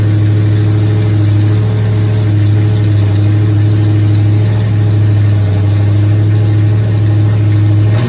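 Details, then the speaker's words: Nova race car V8, first fire-up in 38 years after priming fuel system, timing being set: deep, even rumble with slight lope, no knocks or ticks; runs cleanly, but coolant leaks found at water neck housing. "okay we see we got it does run but we've got a couple of uh leaks here on the water system"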